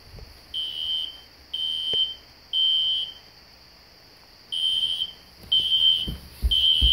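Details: System Sensor SpectrAlert Classic horn strobe set on low volume, heard in background: repeating high-pitched horn blasts about once a second, steady tone; sounding normally.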